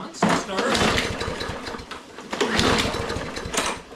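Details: Lawnmower small engine, pull-start cranking: repeated bursts chuffing briefly, never catching; no-start, owner then finds yellow-tinted bad gas in tank and suspects it as cause, fix planned is fresh fuel.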